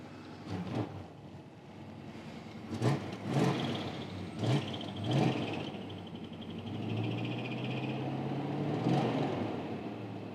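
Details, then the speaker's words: 1976 Jeep Wagoneer abandoned about 4 years, new battery, gas about 3 years old, first start after fixing a wiring fault and fuel pump running: several cranking bursts, then it catches and holds a steady, low, even idle, no knocking or smoke; 60 psi oil pressure. "She's running. Success. Doesn't even have any smoke. No smoke."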